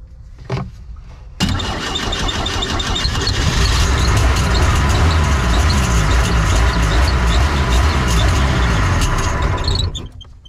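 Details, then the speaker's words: Neglected boat engine, Rochester carb with water in the bowl, run on auxiliary fuel: cranks, catches, runs rough about eight seconds then dies toward idle; idle jets found clogged solid and fuel screen sludged. "Main problem I found was the idle jets clogged solid and then this fuel screen was pretty slooched up, too."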